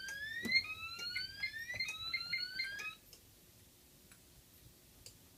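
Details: DMP XR-500 panel with output 6 manually set on: pulsing rising horn tones from the Gentex SXL-EX for about three seconds, then stopping. The alarm was tripped because the output is not configured correctly and should be set to follow.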